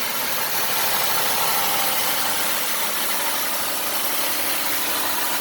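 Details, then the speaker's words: 2008 Ford Escape Limited, hood open: an even, steady normal idle with a soft hiss, no knocking, no misses, no alarming vibration and no high revving; the engine sounds healthy. "starting up the escape sounds good don't hear any knocking don't see any engine vibration that's alarming of any sort doesn't sound like it's high revving"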